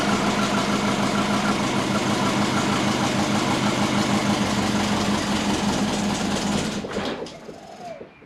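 Low, uneven idle rumbles and pulses about three times a second before the engine shuts off; lumpy hunting from base timing set too low.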